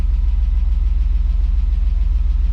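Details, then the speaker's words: BMW E34 Touring, M50B20TU engine unused about 2 years, running after an oil pan replacement: a steady low idle with even pulses and a faint light knock of unknown source that may or may not go away. "I thought that it would be like some rough start or anything something like that but seems to be working like fine there is a little bit knocking sound maybe it will go away maybe it won't I don't know"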